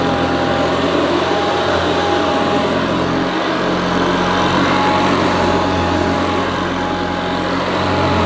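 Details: Hoover Senior U4003 upright vacuum, American model imported for UK on 240 V, 400/600 W: steady whirring with clear high note, no rattles or surging, slightly different from Ranger Senior but sounds as it should; normal running.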